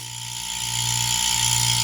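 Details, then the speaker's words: Refrigeration compressor running with suction pulling and discharge tube blocked by hand; steady hum with rising hiss, pressure can be held back: some pressure but not enough, low compression. "Não era para mim conseguir segurar essa pressão, certo? Ó, tem pressão, mas não suficiente."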